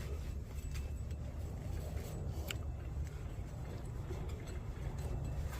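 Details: 2009 Honda Civic after the rear wheel bearing hub was replaced; the old one gave a loud turbo-like noise while driving. Now there is a smooth, low, steady hum as the hub spins, with no grinding, growl or clicking, so the new bearing is healthy.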